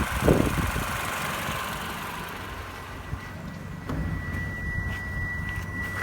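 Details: Toyota Camry XV50 2.5 petrol at idle, after the balance shaft assembly was replaced: an even, low, steady hum with no knocking, which is normal.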